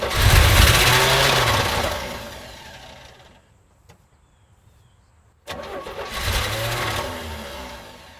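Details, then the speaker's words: 1983 GMC Sierra 250ci straight-six, 4-speed OD, sitting 17 years, new cap, rotor and plug wires: fires on carb cleaner and roars about two seconds, then dies; runs only briefly on primer, no fuel supply. "yeah that cleared it right out all right so we heard it fire up sounds good for one second at a time"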